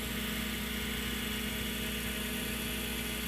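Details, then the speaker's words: Macintosh SE running with its case open: a steady thin whine over constant fan rush never changes pitch; the owner suspects the power supply, since replacing the analog board capacitors did not fix it and power supply capacitor replacement is planned. "and now that i really listen closely i think it is actually coming from the power supply unit"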